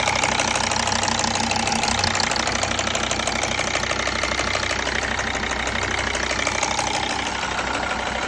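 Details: Mercedes ML 270 CDI (OM612.963) diesel idling: even injector ticking about three per second, normal for this engine, with an abnormal duller banging underneath it.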